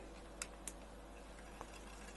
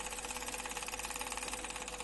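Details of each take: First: Hachette Lancaster B III model, stages 39–40, 3 V propeller motor test: the small motor spins the prop up with a smooth, rising buzz and no knocks or rubbing, running cleanly once up to speed; normal running. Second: Hachette Lancaster B III model, stages 39–40, second propeller fitted on its working electric motor: a steady whir with a fast, even knocking chatter. The propeller is very loose on its shaft and may need a friction plate.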